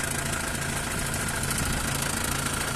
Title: w212 om651, belt out, weird noises still there